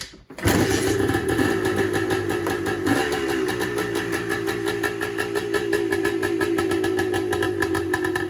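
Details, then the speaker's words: 1984 air-cooled 250R three-wheeler two-stroke, rebuilt about two months ago, kick-started in neutral indoors: catches at once, steady even crackle, no knocks or misses, a little smoky; runs healthy. "She does run. I don't want to run it too much, just for the sake of being able to breathe in here."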